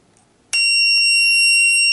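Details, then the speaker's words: ACUANGLE A8826D two-line self-levelling laser level, just switched on with weak 1.5 V batteries: sudden steady high-pitched continuous beep; out-of-level warning because it is tilted beyond its self-levelling range. "Esse aviso sonoro aqui é quando o nível não está em uma superfície plana. Então se ela tiver torta para um lado ou para o outro, ela vai fazer esse barulho."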